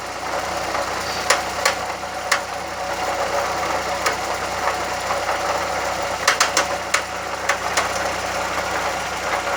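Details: VW Gol "bola" 1.0 idling: sharp irregular knocks, single or in quick clusters, not tied to engine speed; noise recently started, cause unknown.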